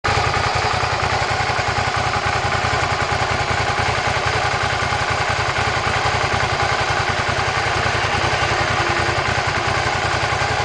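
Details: Suzuki SV650 V-twin at cold idle: a busy, uneven mechanical clatter riding over the steady firing pulse; the source is unidentified.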